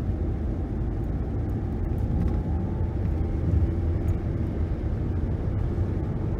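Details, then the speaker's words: 2011 Nissan Rogue FWD after wheel bearing repair, coasting down from 60 to 30 mph; steady low road rumble with no hum, buzz or jet-like drone and no vibration, staying under about 70 dB; bearings fixed and healthy. "I do not feel any vibration in the pedal or in the steering wheel. I don't really hear a hum or a sound like I'm in a jet plane or a buzz."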